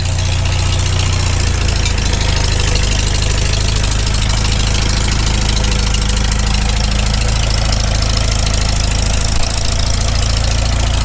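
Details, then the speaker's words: Farmall Super M tractor cold idle right after first start following full rebuild, choked a little, initial carb settings: steady, even low rumble with no knocks or misses; idles down not too bad. "it doesn't idle down too bad given just it's the initial carb settings"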